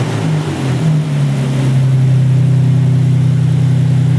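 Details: Audi S4 Quattro 2.7 turbo, after a bad main computer ground caused random stalling and no-starts; deep steady engine drone rising briefly as the throttle is snapped, then settling smooth and even; runs healthy.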